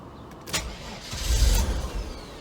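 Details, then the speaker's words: Car cranked an hour after sitting with battery drained by key left in position 2 with windows down: brief labored cranking that bogs before barely catching; weak start confirms low battery, parasitic-drain suspicion. "Yeah, see, the battery was low. Okay. So that's proving it."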